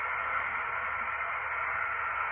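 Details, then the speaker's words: Heathkit HW-101 donor transceiver being restored, receiver on 80 meters after new crystals and adjusting the heterodyne oscillator coil. A steady, even hiss runs across the band with no hum, crackle or dropouts. The receiver is alive and working. "I'm on 80 meters. The rig is on, and I'm going to adjust heterodyne oscillator coil. And there we go. It's alive"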